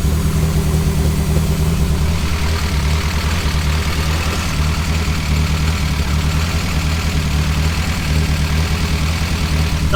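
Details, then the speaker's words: Nova on new 3-inch exhaust, idling about 1000 RPM, running very rich, warming up; deep slightly lumpy idle with occasional popping misfire and noisy head, but no exhaust blow, hiss or leak. "Doesn't appear to be blowing anywhere, which is always a good sign."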